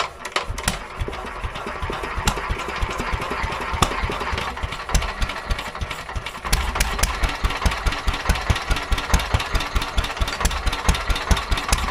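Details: Petter A11 (A1 series 2) single-cylinder vintage stationary engine, first start after years sitting damp: uneven chuffing about two beats a second, ragged and hunting; owner suspects fuel starvation from dirt in the carburetor.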